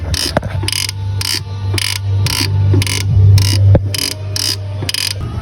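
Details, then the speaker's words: VW Up! on stands at idle: dry, scratchy creak about twice a second with each clutch pedal stroke, coming from the head of the clutch release actuator on the gearbox, which is removed and greased as the fix. "Aqui tá o atuador de embreagem do câmbio. E o que faz barulho é essa cabecinha aqui, ó."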